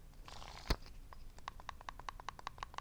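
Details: Axial Wraith 1.9 RC rock crawler transmission after teardown and rebuild (plastic debris cleaned, case shaved, gear mesh reset): light, crisp ticks about five a second as gears are rocked by hand; slight lash, no play at tightest point, mesh set correctly.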